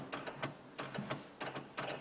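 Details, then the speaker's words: 1999 Honda Odyssey with the battery going low overnight from a parasitic draw: quiet clusters of light relay clicks about every half second with the ignition off. The clicking comes from the sliding door and the rear area. "I hear in two places it's definitely in the door and then there's a noise back here like just the clicking"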